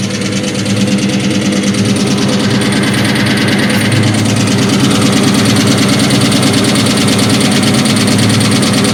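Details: 2003 Ford SVT Cobra engine at steady idle with a fast, even hollow knocking about three per second, piston slap from badly scored pistons.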